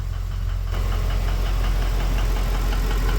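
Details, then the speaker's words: Ford BA Fairmont V8 after timing chain job, warm idle: steady deep knock about four per second, not from the timing front, seemingly centre of engine; owner suspects worn piston pin, unconfirmed. "It's not coming from the timing. It's coming from back here. Can't tell where that sound's coming from. Sounds like the center. Maybe a piston pin's worn out."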